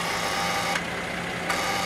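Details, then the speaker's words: DEPO headlights being tested with the engine idling: the high beam is switched on and the shutter activates with a brief buzz and click. The shutter solenoid works normally. "You hear the buzzing sound. One more time. Working."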